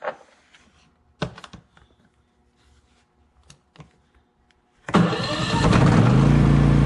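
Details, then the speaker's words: Predator generator that died after two hours, after replacing the spark plug boot with a Suzuki LT80 boot, first start with cover off: catches after handling clicks and runs steady and even, no misses or knocks; running fine. "[Music] there we go running like a champion [Music] so yeah i still like this generator"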